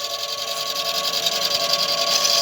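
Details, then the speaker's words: Golden LTC10 washer with new sealed (blindada) mechanism, during spin: rough gravelly scraping over a steady hum; new part came with a bent, crooked strap, owner first suspected tub rubbing the base. "vou puxar para carro me chama mais para cá tá vendo o silencioso agora é bom então a peça é nova ela veio com a cinta envergado a"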